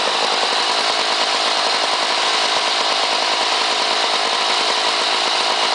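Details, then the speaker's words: Lawn Boy 8241 two-stroke mower from 1984 with blade brake clutch, running unloaded on the fuel left in the carburetor after a fuel line leak was found. Steady, even high-pitched buzz with no misses or surging. Healthy, normal running. "you'll notice it has a unique sound when you when it starts up and that it's uh the engine doesn't have a load on it"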